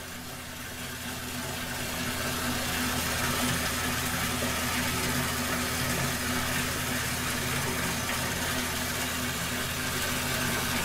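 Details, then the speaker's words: Septic system effluent pump after a tripped breaker and alarm, breaker reset: steady even hum with water rushing, no clicks or surging. The pump is filling and running normally; the alarm light went off. "I believe it's just filling up right now let it run for a little while see what happens"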